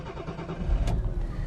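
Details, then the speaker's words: 1984 Jaguar XJ6, barely driven in 25 years, freshly MOT'd and due a service, cold start: brief crank, then it catches quickly and settles to a smooth, even idle; a normal cold start. "There we go. Fired up quite quickly."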